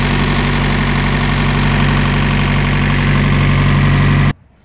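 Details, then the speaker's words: Thermo King trailer refrigeration unit diesel engine starting after warning beeps, set to 7 degrees: even, steady drone with constant pitch and no knocks or misses; runs smoothly until it cuts off. "Vay kurban oldum. Vay ne güzel çalışıyor. Maşallah."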